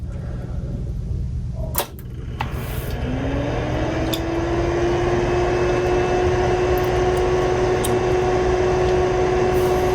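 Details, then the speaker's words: Tandy 2500 XL computer with hard drive removed so only the original case fan runs; after the switch click a rising hum settles into a steady loud drone, fan simply loud. "And just for comparison purposes, I took the hard drive out so you can hear how loud it is. Just the fan, which is pretty loud in and of itself."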